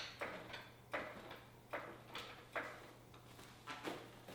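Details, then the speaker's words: 2006 Honda TRX450ER quad raised off the ground during a build, handlebars swung lock to lock: short quiet squeaks about once a second with no grinding or binding; dry upper steering stem bushing, to be greased. "So we'll probably grease that upper bushing. I hear it squeaking a little bit, but as long as your steering doesn't bind, then you're good to go to the next step."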